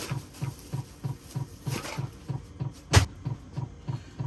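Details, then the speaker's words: Cheap Chinese Amazon 12V diesel air heater in a skoolie bus, heard from the bed inside at night: soft even fuel-pump ticks about three per second carried through the bus body, loud enough to disturb sleep. "see I lay right here and I just hear that ticking ticking ticking all night drives me crazy and uh I can't sleep with it sometimes it's it's tough"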